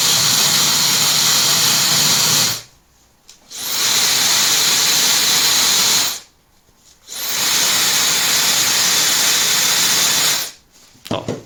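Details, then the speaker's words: Good hair dryer recorded with a LOTO A02 oscilloscope sound probe: three starts of a steady airy whoosh, each building smoothly to full speed then cutting off; the motor speeds up gradually over about 2–3 s, healthy. "比较明显，会有个升速过程。"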